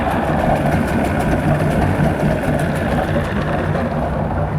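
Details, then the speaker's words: 1994 Evinrude 120 two-stroke outboard, freshwater engine, fresh tune-up with new plugs, new water pump and cleaned fuel system, good compression, water pumping; steady, slightly uneven burbling idle. Normal idle. "great motor great compression like i said freshwater minnesota engine so we'll fire it up here let you hear it run"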